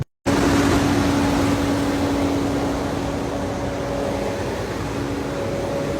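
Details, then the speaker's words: Diesel commercial truck during a parked DPF regen started from the dash button: raised, steady idle with constant hum and fan rush, no surging or knocking; normal cleaning cycle, expected to take 20 minutes to an hour. "And you will hear it rev up. So, DPF regen occurring. Let cleaning cycle complete."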